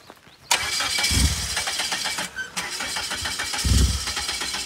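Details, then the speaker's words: Newly bought turbo PT Cruiser on a trailer, tank empty; owner thinks the hill is part of it: starter spins in quick even pulses, surges twice, never fires; crank no start, out of fuel. "she's got zero gas just enough to get it on the trailer you know what I think it's cuz we're on a hill"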